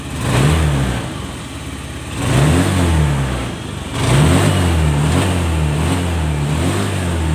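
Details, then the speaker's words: Honda Scoopy FI scooter after full service and CVT upgrade, previously sluggish with delayed throttle response: smooth idle then clean pickup on two quick throttle blips, no hesitation or bogging. Healthy revving. "Yang tadi awal mulanya lemot, sekarang sudah bagus kembali."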